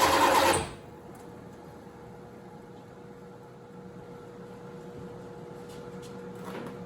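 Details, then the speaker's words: 1987 Chevrolet Corvette C4, under 86,000 miles, sat for years, new injectors, suspected vacuum leak from a part not sealing: cranked, fires in a loud burst for about a second, then dies. Fires briefly then dies. "Guys, so that was awesome. It actually fired up. It ran for, I don't know, maybe a second or so."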